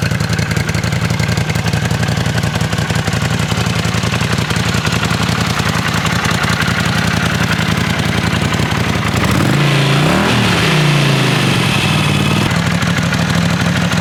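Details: 1979 Honda CX500 V-twin after restoration (sat 5 years, carburetors rebuilt, new water pump): uneven, lumpy idle with loose clatter, then a short blip settling back to a steady run; normal idle.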